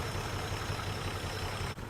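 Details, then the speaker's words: 1949 Plymouth Special Deluxe sat 30 years, first run with an auxiliary fuel pump since factory pump not pumping; low, even, smooth idle with steady soft pulse, no knocks; normal idle. "man it sounds real nice it does"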